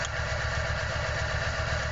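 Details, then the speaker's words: Nissan 1400 bakkie with a distributor and HT leads, idling lumpy with one cylinder dropping out. Misfires were found on cylinders 1 and 4; spark is present and the HT leads are fine, so spark plugs are most likely, not confirmed. "so we can hear the spark but the misfire is not disappearing or changing"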